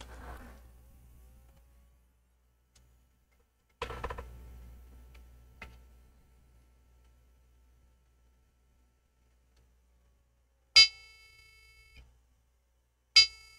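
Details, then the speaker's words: HP Omen 30L desktop (GT13-0024) with an RTX 2060: after handling clicks, long high beeps start the 3 long, 3 short POST code, still present after replacing RAM; graphics card fault suspected next. "all right I'm still getting a three long beeps followed by three shot beeps so the ram that we replace wasn't the issue less troubleshoot the graphics card"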